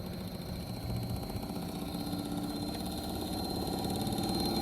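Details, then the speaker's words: Fujitsu Halcyon heat pump in heat mode, showing a 5 amber / 9 green compressor motor fault: a rough, uneven drone with a rattly buzz. The failing compressor motor is running ragged and is suspected of burning through wires. "let's see how this one's running now though sounds like trash that's probably why you're going through wires"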